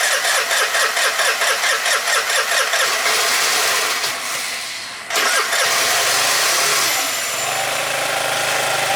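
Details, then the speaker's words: 2012 Piaggio Typhoon 125cc scooter, carb refitted with new fuel line and filter, jumper cables from another battery: starter churns about five seconds before catching, then rough idle, needing throttle to start; hard starting from incorrect carburetor float level. "Give it some gas. See, that's what I've been having to do is give it gas to start it. And I shouldn't have to."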